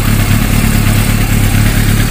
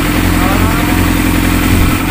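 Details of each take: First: Yamaha YZF600 sport bike misfiring at idle: lumpy, uneven, stumbling beat as one cylinder drops out. The number three exhaust elbow feels cool compared with the others, and the air cleaner is checked next. The finding is a misfire. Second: Yamaha YZF600 idling steady and even after air/fuel mixture adjustment; number three cylinder had been misfiring from a lean, too-much-air mixture, fixed by richening slightly. Normal idle after repair.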